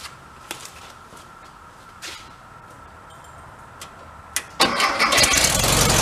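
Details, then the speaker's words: 1974 VW Thing, 29,000 miles, sat at least six months with a weak battery: a few faint clicks, then loud rough cranking that never catches, cranks but won't start; owner suspects the float bowl is still filling, out of fuel doubted. "I wouldn't think it's out of gas but could be trying to fill up the float ball"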